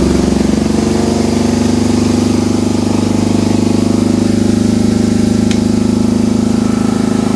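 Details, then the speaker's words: BMW R1150 GS started cold after hall effect sensor wiring and harness repair: steady, even firing at a quick idle, no misses or knocks, running cleanly; revs hang from a suspected stuck accelerator cable; normal running engine. "a that sounds like an accelerator cable is stuck no smoke coming from in there so that was probably just some stuff burning off last night but the bike started fine"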